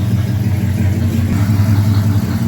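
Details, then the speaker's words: 1968 Chevrolet Camaro V8 after points dwell reset toward 30 degrees, timing not yet adjusted: idle low and uneven with lumpy, stumbling beat; rough idle from retarded ignition timing. "Okay, notice the sound change in the engine. Okay, which means you have to go back and check the timing again."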